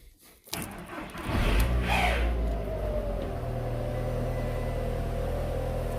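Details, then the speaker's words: 2002 VW Golf GTI 1.8 turbo, 124,000 miles: start-up catches quickly, blips up cleanly on a little rev, then drops to a smooth steady idle with no rattles or stumbles; healthy engine. "That sounds very healthy to me. I've had a lot of unhealthy 1.8 turbo Golfs in the past, so I'm very happy with that."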